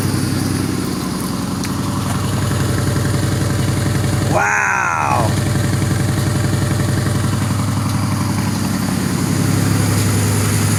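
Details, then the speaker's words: 2006 Pontiac Grand Prix, new exhaust with no cat, mufflers and resonator, downpipe bolted but flange unwelded: loud raspy idle, uneven puffing pulse over a deep steady rumble, still has a couple of leaks. "definitely still has a couple leaks."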